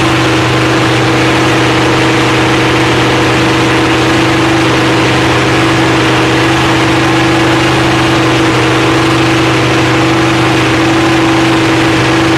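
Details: Freshly rebuilt Holden 308 V8 with roller cam, bolted to a part chassis without body, first start after teenager's rebuild: loud, steady idle with even low rumble, no knocks or misses; running smoothly.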